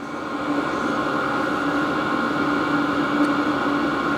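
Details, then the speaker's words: HCALORY Toolbox diesel heater for an F-350 camper, first start, set to full power level 10: steady even roar of fan and burner with constant mid hum, no rattles or surging; blowing hot air, running healthy. "So right now, it is spitting out hot air. The exhaust is running, the fan is running. Everything's doing what it should do."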